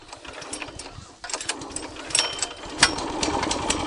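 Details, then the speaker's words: Brand-new garden tiller, first start after filling with oil and petrol, choke closed, throttle at half, pull start. It catches and settles into a rapid, slightly uneven putter on choke, a normal cold start; next the choke is opened to let it warm up. "Käivitanud veel ei ole, et esimene käivitus, kui me siin teeme, et me paneme alati õhuklapi kinni, gaasi paneme poole peale ja siis tõmbame."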